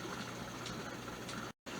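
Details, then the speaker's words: Presto 12-quart electric pressure canner canning chili, with the regulator off, in its 10-minute venting stage: steady even hiss of steam escaping at the back, with a brief gap; normal venting. "And now it's going to vent for 10 minutes. You still leave the regulator off of the pressure canner. And it's going to vent steam here at the back."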